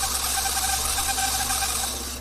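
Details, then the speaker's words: TAMPO CRV-709A language learning machine turntable (spindle) motor, tested directly: small motor whirs with a wavering, pulsing hum, not running smoothly while the laser head motor is normal; rough spindle motor, to be replaced. "それからこのモーター現時点ではそれほどスムーズな走行感はありません。ということで、モーターを探して交換してみます。"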